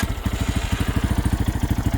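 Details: Lifan KPX 250 dual-sport single at idle after tuning: a steady, even thump of about twelve beats a second with no misses. The idle was set with the throttle set screw; the bike runs quietly.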